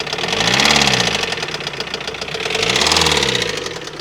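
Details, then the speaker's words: Non-running 2021 Ford Transit, revved: heavy metallic knocking that speeds up and grows louder with revs and falls back as they drop; serious internal engine knock, engine judged finished. "see if you think that's no that's knocking that's that's toast"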